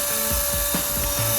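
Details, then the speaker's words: 2026 GAC-Honda EA6 electric brake vacuum pump after replacing the failed pump: steady even whir at one tone, no rattles; proper vacuum suction when brake pressed, new pump working correctly. "There is proper vacuum suction, which means the new vacuum pump is working correctly."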